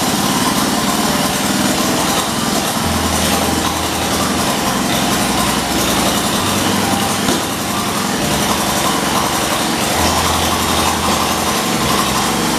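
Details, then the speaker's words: 1978 John Deere 208 lawn tractor, no muffler, old head gasket, after 3 years idle, driving: loud steady drone with slight unevenness; variator and transmission work, throttle needs adjusting, owner thinks it then ran out of gas. "throttle needs adjusted variator works transmission works runs good i think it just ran out of gas"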